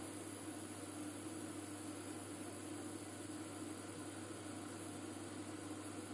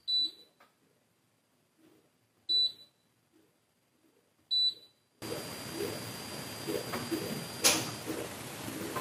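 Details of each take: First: IKEA Tillreda portable induction cooktop at power level nine, about 1800 W, bench vibrating: steady low electrical hum with even fan rush, no pulsing or rattle, quieter than other cookers; normal full-power operation. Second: IKEA Tillreda portable induction cooktop heating: three control beeps, then two-stage cooling fan rush rising louder, with a thin steady piercing high-pitched whine on top once heating starts; owner suspects thermistor-controlled power limiting when hot.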